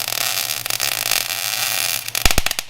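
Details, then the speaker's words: MIG welding at the right stick-out: steady fine crackle like frying bacon with a few sharper pops near the end; popping means too much wire stick-out. Arc sounds correct. "yeah hold on can you hear that noise yeah when it sounds like rice krispies in a bowl that's what you want it to sound like"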